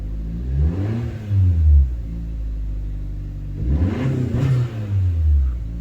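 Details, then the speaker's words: 10th-gen Honda Civic idling after an aftermarket horn install, started to check for errors since a hose was removed; smooth idle with two quick, clean, even throttle blips, no misses or knocks. Normal revving. "So it looks like everything is fine. I'm gonna give it a little bit of gas."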